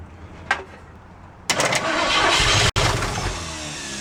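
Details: 1967 Ford Mustang, pedal pumping while cranking: short burst of fast cranking with a few sputtering catches then falling away; engine fires weakly but won't keep running, no start.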